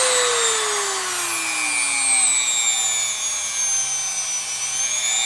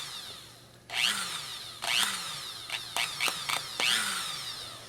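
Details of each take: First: No-load run of a roughly $30 replacement rotary tool, bought because the old Dremel barely worked, stepped from its slowest speed upward. A clean, steady high-pitched whine rises and falls smoothly with the speed setting, with no rattle or grinding. Healthy motor. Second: My Dremel tool has been knackered for years now. The motor brushes apparently have worn out.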